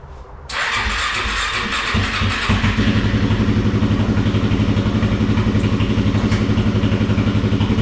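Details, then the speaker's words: Kawasaki KFX400 single-cylinder engine just after crankcase replacement, carburetor still leaking fuel: catches within a second and settles to an even single-cylinder thump about four beats a second; healthy idle. "sounds good. It's a healthy motor."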